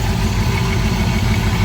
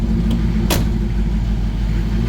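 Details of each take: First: Thunderbird V8 freshly rebuilt with many upgrades and all-new wiring, on its first start: a deep but uneven, lumpy idle that is rough until it warms up; a valve is still unhooked and it stalls when idle drops too low. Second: Ford Thunderbird first start after engine pulled, intake and wiring redone: catches and settles into a steady, deep, even rumble with no knocks or misses; a little wonky until warm, idle too low can stall it.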